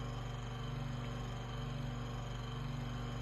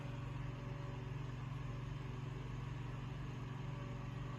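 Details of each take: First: Room Essentials "Velocity" Desk Fan F-0411, single-speed, dated March 2011: low motor hum with uneven faint scraping flutter about twice a second; owner suspects the rotor is rubbing on the stator, not confirmed. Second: Room Essentials Velocity F-0411 single-speed desk fan, made March 2011: even, low steady hum with a soft airy whoosh, no wobble, rattle or vibration; runs smoothly, normal running.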